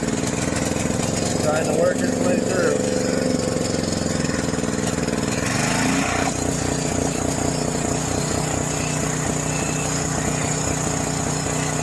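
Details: John Deere 6200-watt portable generator, dry-stored four years since Hurricane Ian, carburetor varnished by old fuel; half choke after start: hunts and stumbles, uneven beat, speed surging; rough running, no power at outlets later.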